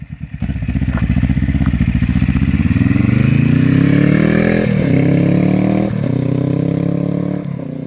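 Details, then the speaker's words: Suzuki GS500 scrambler with new aluminium slip-on exhaust with fiberglass packing, replacing a too-loud one: pulls away with a rising, even note through gear changes, subdued, no rattles or misfires; much quieter, sounds good. "a bit annoying but it's still still way quieter than it was sounds good very happy with it"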